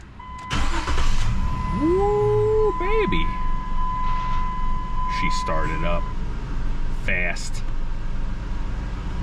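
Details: 2004 Jeep Liberty 3.7L V6 after replacing a failed starter (no-crank no-start): brief crank, then the engine catches quickly and settles into a steady, even idle; a clean, healthy start.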